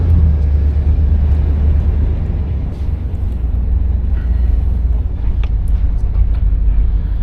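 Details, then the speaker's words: 1986 Chevrolet Monte Carlo SS T-top, V8, under way through first and second gear near 25 mph: deep even rumble, no rattles, ticks or exhaust puffing; healthy engine, no exhaust leaks. "impressions, everything sounds good. I don't hear any rattles or anything, no exhaust leaks."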